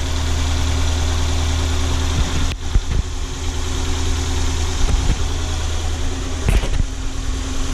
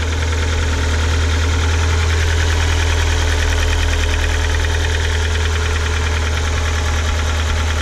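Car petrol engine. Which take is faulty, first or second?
second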